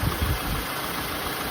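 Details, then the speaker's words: Peugeot 307 CC after P0352 misfire diagnosis, with oil in plug wells, failed ignition coils and a wire found shorting on the engine: steady even idle, smooth low rumble, no misfire or rattle, healthy. "No misfire, no rattle. Amazing."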